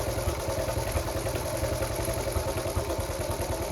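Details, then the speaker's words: Restored Honda Cub C70 single thumps at a slow, slightly uneven idle with light tappety clatter, running like a sewing machine after points and timing were set; idle speed a bit too low. "prop sewing machine probably a bit too low"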